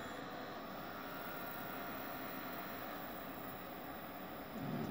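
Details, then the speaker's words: Desktop PC that beeped and would not boot after being bumped, now powering on with steady fan rush and no beeps after cleaning and reseating memory; boots normally. "see so far so good no beeping sound okay i got something on the screen there"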